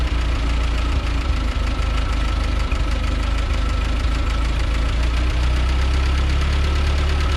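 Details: 1940 Ford 9N tractor after a rebuild correcting backwards rod caps, wrong ignition and cam timing, and wiped bearings: a deep, steady low rumble with an even firing beat, no knocks or misses; runs normally.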